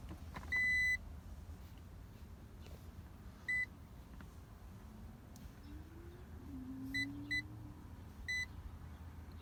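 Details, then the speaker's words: 2000 Toyota Sienna with a non-working horn, steering wheel removed, continuity tester from wheel to ground: short beeps come and go as the wheel turns; the steering shaft is intermittently grounded, a grounding fault rather than the airbag assembly. "so the problem in this particular case the steering wheel shaft is not attached to the ground that's why we're losing connection so it's not like our back assembly it's only the grounding problem"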